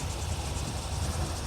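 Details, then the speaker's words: 1981 Corvette V8 after replacing rocker nuts, warm after 10 minutes running: deep, even idle, steady low burble, no ticking, no leaks, temperatures good; normal idle. "everything looks good no leaks temp temperatures are good she still sounds good no noise"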